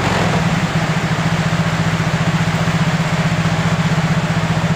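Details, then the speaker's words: Yamaha Mio J scooter after new original injector fitted (old clogged, socket damaged): brisk steady single-cylinder idle pulse, no hunting or dropouts; normal idle after repair. "untuk gelangnya sangat normal sekali ini tidak ada masalah ya ini sudah mantap"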